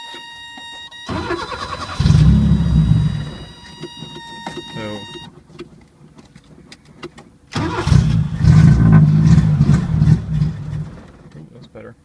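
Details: 1980 Chevy LUV that sat for years, vacuum line plugged, anti-dieseling solenoid reconnected: two starts, each fires, runs rough a few seconds and dies, won't idle; owner suspects air leak or a dirty, trashed carburetor.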